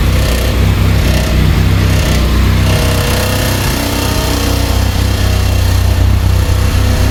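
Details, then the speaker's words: 1999 Honda Civic EK hatchback revived after sitting for years, running on a turbo-tune ECU; even, quiet idle with steady low beat, no ticks or knocks, runs smoothly. "Yeah, this thing sounds pretty It's nice and quiet. I like it. Nice and quiet. Idles pretty good."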